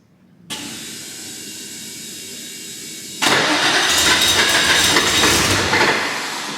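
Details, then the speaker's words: New 600+hp air-cooled Porsche 964 Turbo engine in an RWB 911, cranked with injectors off after flooding on a generic map: steady fast cranking without catching, then louder churning; too much fuel, owners think it over-fuels. "so once the fire with the injectors off like got too much fuel in it here so we think it's keen to start but we think it's over fueling"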